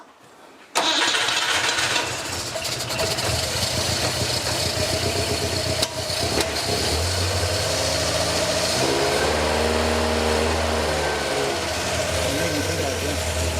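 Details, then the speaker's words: Volvo P1800 engine, first start with very little fuel getting through: it catches and settles into a lumpy, uneven idle with wandering speed; rough running on first start after long storage. "But we can call that a start. Yeah. And a burn. And a fire."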